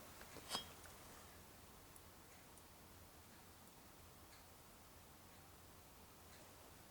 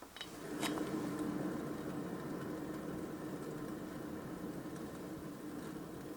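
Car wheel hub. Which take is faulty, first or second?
second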